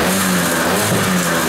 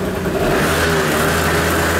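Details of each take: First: Kymco Vitality 50 2T scooter, cold engine, on the brake after the centrifugal clutch springs (previously very soft) were adjusted: the steady buzzing rev holds against the brake without bogging. Before the fix, revs dropped under slight throttle on the brake and it had no pulling power. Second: Kymco Vitality 50 2T scooter on a lift, weak pulling: steady two-stroke buzz, then revs sag and labour when the brake is held; the centrifugal clutch engages too early.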